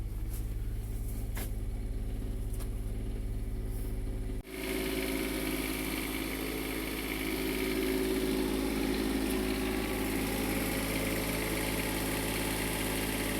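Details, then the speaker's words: Onan 7500 Quiet Diesel generator on a 2002 Jayco Avatar Cat C7 diesel pusher, during service, air conditioning load applied: steady diesel drone settling into a smooth, slightly heavier hum without missing; normal running under load. "So let's get it fired up. So quiet."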